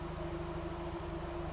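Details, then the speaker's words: Mazda NA Miata four-cylinder, fully warm, idling: mostly steady with a brief stumble every so often. "it kind of stutters every so often at idle and I don't know if that's a timing problem or not"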